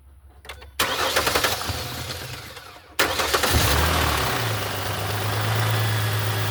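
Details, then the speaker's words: 2007 Mustang started right after an oil change with the new filter still empty: it cranks, catches and settles to a steady idle with a light, fast lifter tick because oil is not yet circulating. "you can hear a little bit of ticking from the oil not circulating through yet"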